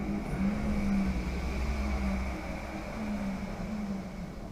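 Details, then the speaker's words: 1978 VW Bus electric conversion, first spin test after precharge and main contactor click: a smooth, quiet motor whine swells and eases with light throttle, with no grinding or clunks. The motor, controller and throttle pedal work normally. "awesome we have our official spin test completed"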